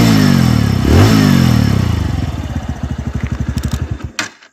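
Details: 2021 TVS Radeon BS6 single-cylinder motorcycle with an engine sound problem the owner can't diagnose: single rev then winds down, loose rhythmic knocking about four per second as it slows before shutting off; cause unconfirmed.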